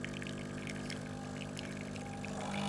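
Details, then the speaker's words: Breville BES920 with a volumetric extraction fault, pressing and holding for full pressure then pre-infusion: soft steady pump hum, faint trickling, no surging or rattling; pump pre-infusing normally. "and if I press and hold to get a hundred percent pressure and then I go pre-infusion you can hear it is actually pre infusing"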